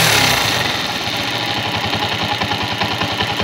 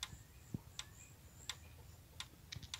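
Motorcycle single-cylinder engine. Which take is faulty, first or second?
second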